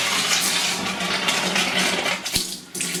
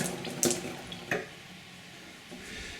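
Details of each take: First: Pressurised gas-heated hot water system after replacing a Zilmet expansion tank, still powered down. Even, full rushing hiss from the hot tap with no spitting or air bursts while joints are checked for leaks; flow is normal. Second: Pressurised gas-heated hot water system, refilling after changing a Zilmet expansion vessel, supply turned on partly: hiss of water rushing in with a couple of knocks; drain taps left open so water runs straight through.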